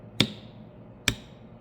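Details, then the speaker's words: Golf cart/UTV/ATV 12V solenoid bench test: three crisp single clicks with a clean snap each time power is applied, the coil pulling in normally; no click at all would mean a bad solenoid. "If another telltale sign that your solenoid's bad is if you put your leads on it and it doesn't click at all. If it doesn't click at all, you know it's bad. You can hear that audible click there"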